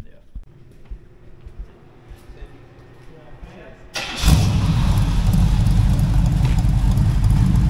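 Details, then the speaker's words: Kevin's Chevy El Camino V8 starting and running: starter, then an even, deep rumble with no skips once all eight cylinders hit. Runs better than before; normal running. "once all eight cylinders start hitting she's definitely running better"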